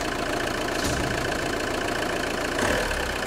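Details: JTD 105 diesel idling cold: an uneven creak and tick coming and going over the diesel clatter; weird cold-engine creaking noise, cause unidentified.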